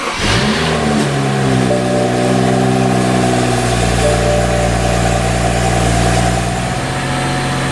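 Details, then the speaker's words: 2012 BMW 335i N55 just started after fuel vent valve replacement (code 315A, intermittent rough idle): engine catches, flares, then settles to a steady, slightly high idle with no roughness, normal for a fresh start. "Alright, and it's kind of settled down to an idle. It's still lighting a little high because it just started, but at least the idle's not rough."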